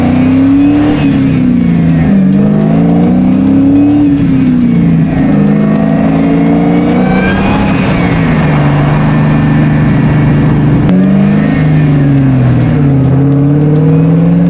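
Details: Mustang, GoPro mounted in engine bay near the supercharger: clear whine climbing and falling with engine speed over strong exhaust through the gears; some rubbing noted. Normal supercharger whine under load.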